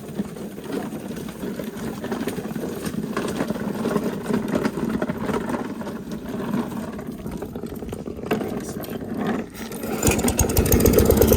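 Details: Briggs & Stratton mower engine with old gas, run after its recoil starter was restrung: it runs steadily with a quick, even patter, no misses or knocks, and picks up strongly at the end, so it runs healthy.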